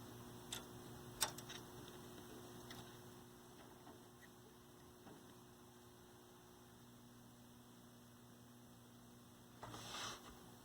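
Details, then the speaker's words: 1965 Zenith 19-inch black-and-white TV, 14M28 chassis, on line power: adjusting vertical hold gives no vertical singing, only steady transformer hum. A hot resistor smell appears and the damper tube is cold and dark. No vertical deflection. "let's see we come over here and adjust our vertical hold nope we should hear the vertical singing 60 cycle 50 cycle whatever it is"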